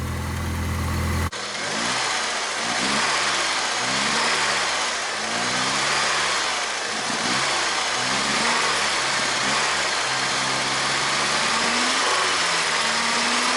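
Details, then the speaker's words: 1989 Ford Mustang 2.3 L inline-4 idling after first start in 9 years: steady idle, no smoke, with a loose metallic crank rattle and a slight tick over the engine note; owner says it needs a full rebuild. "unfortunately this poor engine seems to have a lot of crank rattle she needs a rebuild all the way around"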